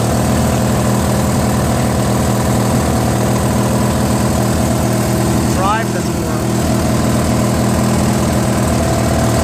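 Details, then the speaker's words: Free Briggs & Stratton 16 hp opposed twin on a Murray garden tractor, valve unstuck, engine flushed, carburetor added: uneven, lumpy idle around four pulses a second; rough running probably because the carburetor is missing its Welsh plug. "I figured out why it's not running so good. Apparently it's missing the Welsh plug, I think."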